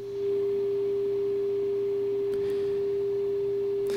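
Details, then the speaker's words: RCA Victor 9-X-571 tube radio during alignment: steady pure test tone from a 1.4 MHz signal generator at the speaker while the 1400 kHz antenna trimmer is peaked for maximum loudness. "now I need to peak this for maximum signal so basically I'm just looking for maximum loudness and this is the adjustment right here C to 1400 so that adjusts this antenna here"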